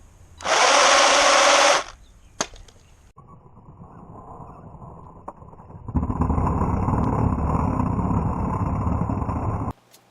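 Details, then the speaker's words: Sports Drift GS1002 RC car run hard at the park to find a clicking noise; rear wheels not getting power. Electric motor whirs in bursts with a rough ratchety rattle as the rear differential gears skip, likely from poor shimming. "so as we saw the rear diff is still messed up I guess it's just more it enough that it's gonna continue skipping"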